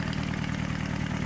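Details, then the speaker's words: Never-used 34-year-old Sabb M4 marine diesel, after fuel-system work (electric lift pump, rebuilt mechanical injection pump), water-cooled by hose: steady low idle, even firing, no misses or knocks, settling smoothly once cooling water flows; normal idle. "there you have it after a long and challenging Journey the engine is finally running smoothly the satisfaction on my face is Indescribable"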